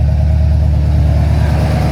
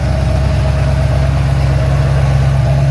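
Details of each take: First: Ford Falcon XC GXL's restored 351 V8 in warm-up, thermostat just opened: a deep, steady, slightly lumpy rumble at a high idle. The choke is too rich. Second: Ford XC GXL under restoration with a 351 V8, cold and warming up: a deep, steady V8 burble with an even beat and no knocks, ticks or misses. A normal idle.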